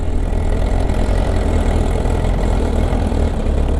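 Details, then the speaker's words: Kawasaki ZR7S, fully stock, at idle; dense low idle with a busy clattery rattle likely from the top end, louder as revs drop, embarrassing at traffic lights; owner suspects the auto cam chain tensioner, unconfirmed, needing replacement or head opening. "ドノーマルでね、この音ってあかんよね。こんな音なんですよ。もうね、信号待ちしてるだけでね、恥ずかしい。"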